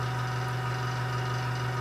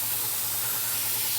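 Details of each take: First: Small airbrush compressor restarting after pressure dropped from 30 to about 20 psi and building back to 30: steady, even motor hum with no knocks or surges. Normal compressor run. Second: Airbrush at 30 psi: paint flow suddenly stops with the trigger unchanged, leaving a steady high air hiss and nothing coming out. Cause unknown; owner is asking for help.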